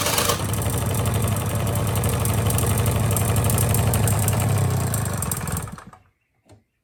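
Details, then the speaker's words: 1985 Honda Spree two-stroke scooter, carb rebuilt, idle okay but no power: at full throttle a flat, low drone holds one pitch instead of climbing, then dies away; bogging from carbon-plugged muffler. "Got a couple mufflers here that are plugged up. One's got a bunch of rust, but the other one's got a bunch of carbon in it."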